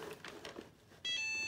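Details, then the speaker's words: Shark ION robot vacuum with its wheels removed and a half-dead battery, trying to dock: quiet shuffling, then a loud steady high electronic tone for about half a second. Error alert because it cannot dock. "This one can't dock. It's gonna try to. It's got no wheels, so it's gonna be giving an error."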